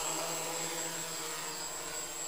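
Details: DIY hexacopter maiden flight in stabilized mode with slight wind; steady, even motor whir with constant tone, no wobble or grinding, all motors healthy and balanced, normal hover.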